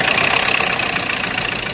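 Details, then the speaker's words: Hyundai Creta diesel at idle after an outside engine rebuild: fast hard metallic clatter and knocking, with back compression and white smoke; recurred after a timing tensioner was fitted, and the engine later stopped. "फिर से यही समस्या आने लगी engine में से कड़कड़ sound आने लगा"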